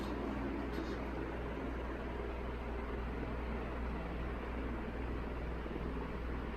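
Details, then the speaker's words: 1981 Evergo 36" industrial ceiling fan, model 3E-6, cast-iron motor, at about half speed: steady whooshing air over a low even hum, helicopter-like chop, no rubbing or clicking. Normal running. "starting to sound more like a helicopter now with that chopping sound yeah already this thing is really just whipping the air around the room it's got so much power"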